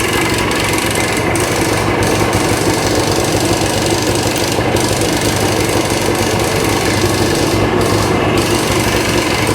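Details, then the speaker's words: 1965 Montgomery Wards Benelli 125 Scrambler two-stroke, revived vintage bike with cleaned carb jets, running stationary: loud busy exhaust with a constant clattery rattle, something loose, source not yet found; plugs probably need adjusting. "we got a rattle somewhere I do want to turn it off see if I can start it again"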